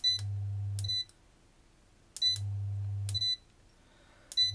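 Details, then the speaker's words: ERGO FS 1677 fan control board: beep, low hum for about a second, then cutout with another beep, repeating every two seconds; 5.1 V zener supply reads about 4.5 V, a voltage sag possibly causing shutdowns. "показывает четыре с половиной где-то просадка по напряжению и возможно из-за этого проблемы с включением на первую скорость"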